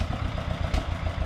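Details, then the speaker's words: 1953 John Deere 40 tractor after sitting for years, choked, throttle slightly up, new rotor, warming up: slow, lumpy, stumbling chuffing at idle before it dies; engine faltering before stalling. "that ain't good. Well, it died."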